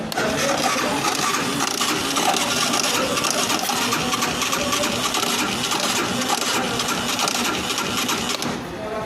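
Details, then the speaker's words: Yamaha YBR motorcycle that stopped running: dense metallic clatter over the running engine from the starter/cam chain side cover. "vocês podem ver aí o pessoal tá fazendo barulho aqui na parte da corrente de comando estátua aqui ó ligar mais uma vez aí para vocês verem aí"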